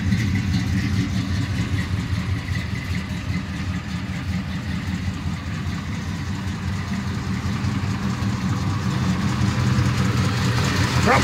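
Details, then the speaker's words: 1984 Chevy C10 truck after a fire, with new alternator and belt fitted and wiring checked: smooth, steady low idle with an even rumble and no squeal or knock; normal idle. "sit there and let it run for the longest and seems to be doing good"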